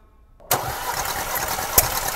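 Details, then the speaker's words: 2018 Porsche Macan 2.0 petrol, 95,000 km, misfires on cylinders 3 and 4 with fuel-soaked plugs, cranking during a compression test. Even, steady cranking rhythm; compression normal on all four cylinders, faulty ignition coils suspected. "다행히도 1 2 3 4번 압축이 정상이네요"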